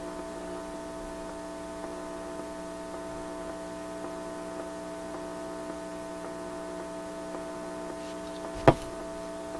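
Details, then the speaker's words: Atwater Kent 944 vacuum tube radio during alignment check: loud, constant low buzzing hum that never changes; strong mains hum, later traced to an office computer power supply and an antenna wire. "Where'd that big bad hum come from?"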